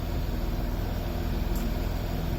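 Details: Land Rover Discovery 3 common-rail diesel after a faulty injector (white smoke at idle) was replaced, after a long idle: steady, even low idle with no misses, knocks or hunting. Runs cleanly with no white smoke.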